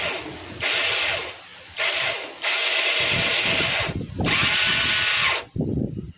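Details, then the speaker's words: Yamaha Mio scooter, electric starter: repeated bursts of a high, free-spinning starter whine with no engine cranking; the starter dynamo does not rotate the crankshaft. Likely causes are a faulty one-way starter clutch or the dynamo spinning in reverse. "This actually creates another problem, yes, the starter dynamo doesn't rotate the crankshaft or the rotation of the dynamo doesn't reach the axle or los."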